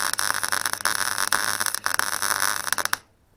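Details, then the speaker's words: Clarke Pro 90 MIG welder, a beginner tacking and seaming a corner joint: the arc crackle breaks into uneven pops and dropouts, then stops. The weld sputters, cause unclear, so the welder stops. "It was starting to sputter, so I thought I'd stop."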